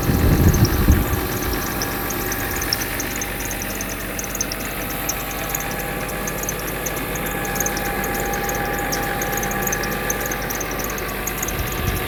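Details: Mercedes W126 300SE, M103 3.0 L inline-six on a Voltarent ECU conversion, just started: a brief start flare settles into a steady, even idle with no knocks or misses; normal idle.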